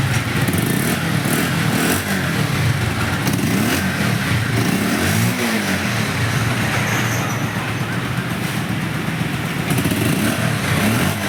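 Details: Bajaj Pulsar 150 BS4 after CDI coil replacement for a no-start, ticking over steadily with even firing and no misses or stumbles, some street noise around; engine running healthy after repair.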